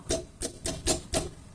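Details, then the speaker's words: Car suspension (Corsa/Prisma/Celta type) rocked, five sharp metallic clunks about four a second that can be mistaken for brake pads knocking; possibly worn stabilizer bar bushings. "o barulho que faz a gente pensa que pode ser as pastilha batendo ali mas não é pode ser também na parte extensora né estabilizadora aqui ó"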